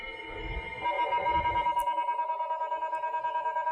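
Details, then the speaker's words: IBM 5150 PC with a hard drive on the disk controller card: a steady high whine with a regular pulse about three times a second as the drive spins up. Odd-sounding, cause unclear; POST errors 301 (keyboard) and 2011, possibly bad memory. "not sure if it's supposed to sound like that but 2055 2011 301 I think 301's the keyboard error what's the other error drive spins up though at least"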